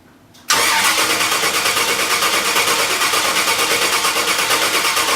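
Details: Engine cranks steadily at about three pulses a second for five seconds without firing; owner thinks he hears the fuel pump after reconnecting a loose wire, but air puffs out at the fuel check, so owner thinks air is stopping fuel reaching the engine and it needs priming.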